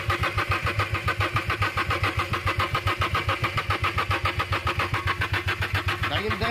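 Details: Renault Kwid that stalled while running and now cranks but won't start: even starter churning at roughly two and a half pulses a second with no firing; oil on the spark plug tops is shorting the spark.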